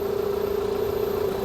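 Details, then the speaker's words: 2001 Toyota Highlander 2.4L with battery light on and battery dying overnight: steady mid-pitched whine at idle from the alternator area, with ripple on the lab scope; defective alternator suspected. "so as you can hear the engine is running and I don't know if you can hear this noise this noise is coming from the alternator there's like a little zooming noise coming from this area"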